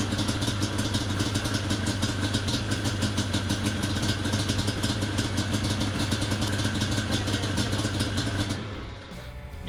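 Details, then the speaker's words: Yamaha Banshee 350 two-stroke after a quick carburetor clean and adjustment, choke just taken off: crackles at raised revs, then falls away and dies as soon as the throttle closes; won't hold idle. "it dies as soon as I let off the throttle"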